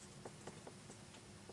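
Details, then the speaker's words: Gemstik joystick microswitch refurbished by pressing the switch to restore its tension, a temporary life-extending fix. Soft, crisp, irregular clicks about every quarter second, snapping cleanly: normal microswitch click. "that is now clicking again I mean this won't last forever but it will give you a bit more life out of the joystick"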